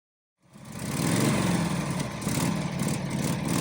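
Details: Rebuilt 1949 Harley-Davidson spring-fork Panhead, first start in about 60 years after 19 kicks, oil in the bottom end: loose, lumpy potato-potato V-twin idle at low speed, firing steadily; sounds healthy.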